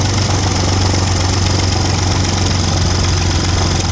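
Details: Audi 3.2 V6 at idle with ~20 codes incl. crank/cam correlation: loud fast clattering knock over steady idle; owner suspects timing chains, unconfirmed.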